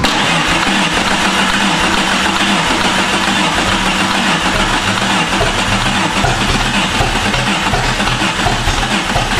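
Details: Jeep with a swapped-in replacement engine, no start: long, steady cranking with no firing. The starter was bench tested okay and is run with a bar, a suspected anti-theft issue; an ignition coil boot was found off a spark plug.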